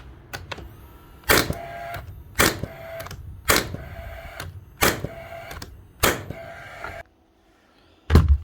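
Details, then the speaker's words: Rawl Plug B1664 gas-powered second-fix nail gun before servicing: six sharp shots about a second apart, each followed by a dragging ring as the driver pin is slow to return; sticky driver blade, slow return. "and she does work but right enough she has a we bit sticky or something you here it takes a little bit of time for the pan to come back it's not instant"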